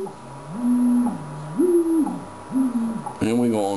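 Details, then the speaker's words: Yaesu FT-101ZD transceiver in TUNE mode on WWV at 10 MHz: whistling heterodyne tone slides in pitch as the dial moves off frequency, dropping to zero beat when exactly on frequency. "so what we're doing is that we're using the tune button here to generate a tone which is plus or minus when we hear that tone it's it's setting and when it goes to zero beep which is right there then you have it exactly on freque"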